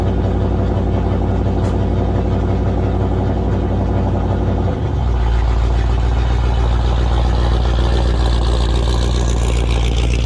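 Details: 1978 Chevy Nova Concours with new high-flow muffler; idle jumps to a higher busier speed and stays up; vacuum hose found detached and fitting pulled out of carburetor: high idle from vacuum leak.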